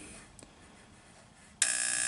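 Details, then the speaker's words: Kerosene torpedo heater, seven years old, serviced after a problem blamed on fuel left over winter: quiet, then a steady high-pitched buzz as the igniter sparks normally before the burner lights. "as you see it's buzzing there we go"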